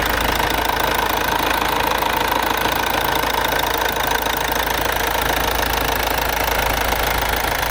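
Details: Mercedes-Benz C-Class S204 OM651 diesel at idle after timing chain replacement, driven 660 km since without problems: steady even clatter with dense regular tick, slight shake considered normal for a diesel; normal diesel idle.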